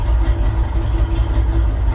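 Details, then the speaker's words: Truck with new-looking ignition and passenger-side spark plug boots hanging off, hoses and wires disconnected at throttle body: low, lumpy uneven idle that never settles, running very poorly; rough running engine. "well that doesn't sound good does it there it is yeah it runs very poorly very"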